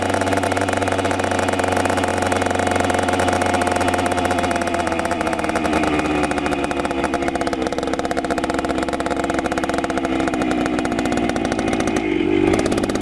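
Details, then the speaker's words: 1976 Honda MR175 Elsinore two-stroke, first run after engine rebuild: raspy revs surge and sag instead of settling, won't hold idle even with idle screw turned all the way in; cause unknown, owner will adjust later. "It won't idle, even though I have the idle all the way in. I'll have to mess with that later though."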